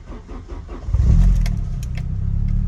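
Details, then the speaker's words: Mk3 Vauxhall Cavalier SRi cold start after sitting at least a couple of months: rhythmic cranking before it catches and settles to a steady idle, slow to start while fuel pumped through; afterwards good voltage, oil pressure a little low. "there we go took a little bit for fuel to pump through because like I said I've not started it for at least at least a couple of months probably longer"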